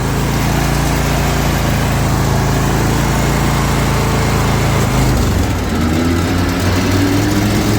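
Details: Zero-turn mower at idle following a valve adjustment; steady drone, then around five seconds the pitch sags and wavers as the blades engage, bogging toward a stall; cause unknown.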